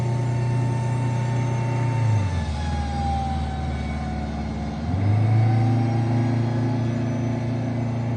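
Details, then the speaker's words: Eagle bus, after a steep mountain descent on Jake brakes: deep drone like an unbalanced tire only under throttle above about 25 mph, dipping through shifts and rising with road speed, no power loss; traced to a failed drop box input bearing. "It's almost like a tire, like an unbalanced tire sound, but it only does it when I'm in the throttle and only once I get over about 25 miles an hour."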